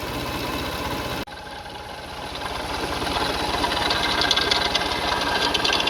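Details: 2004 Toyota Sienna engine at idle: quick metallic rattle about three or four per second over engine note; pulleys, serpentine belt and timing belt being checked, timing belt later snapped while driving; cause not confirmed.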